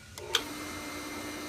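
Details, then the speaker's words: Pool pump motor that would not turn on, click and then an even hum as it spins up and starts normally after the motor was opened and the bearing turned clockwise to free it; run briefly without water. "boom that sucker is on all right I don't want to run it too long without water in it but it's working it's working"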